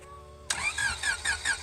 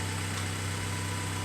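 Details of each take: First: Flood-damaged Honda Civic hatch on its first start attempt with the battery in. Even starter chug, about 150 per minute for six seconds, and the engine never fires; cranks but won't start (starting fluid is used afterward). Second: Flood-damaged purple Honda Civic hatch track car after a swap to a freshened donor motor with new timing belt, plugs and clutch, idling by itself at a steady 1,000 rpm. The air intake and its sensor are not connected and there are no check engine lights; a smooth, even hum with no misses, so a normal idle.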